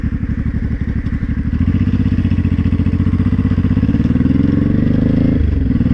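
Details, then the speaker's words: Honda Shadow 500 with a worsening loose metallic clatter as revs climb under throttle that stops when throttle is released; rider suspects the gearbox; broken and loose bolts without Loctite and an oil passage piece working loose were later found. "okay so I'll throttle it stops yeah I let off the throttle it stops that makes me think it's in the gearbox"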